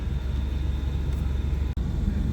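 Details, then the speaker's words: BMW E38 750iL V12 after installing the correct Siemens unit and a throttle body adaptation: fires up, revs well and settles into a deep, even low rumble with steady firing and no misses; smooth healthy idle. "it worked revs up well hell [Applause] yeah right off the fan yeah I don't even hear a Miss in it sounds good"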